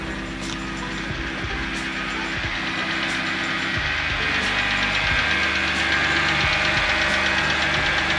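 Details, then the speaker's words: Wrecked BMW 325i E90 rebuild, cold start after sitting in driveway, jump-started, oil present: steady idle with a light fast even top-end tick, new since before; owner suspects cold engine; cause unclear; engine ticking. "and now it's ticking probably because it's cold I don't know if it didn't tick before I don't know if you guys could hear it I don't know if you guys could hear me but you could hear the car ticking TI tick tick TI tick tick and I didn't do that before"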